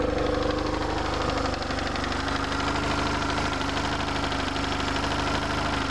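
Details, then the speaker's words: BMW R1150RT boxer twin idling before a test ride: light, quick ticking at the intake side over a steady idle, usually a worn throttle body shaft; no free play found on either throttle cable, and the throttle body shafts probably need replacing. "hear that ticking that's usually a worn throttle body"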